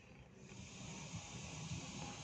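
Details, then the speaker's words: NUX 15A active powered speaker fed from a mixer on one channel, input button set to line: steady loud hiss with low rumble beneath, no programme sound; noise disappears when button pressed, suspected reversed mic/line symbol. "Oops, maingay ah. Narinig nyo ba? Maingay. Maingay siya mga ka-sounds, oh."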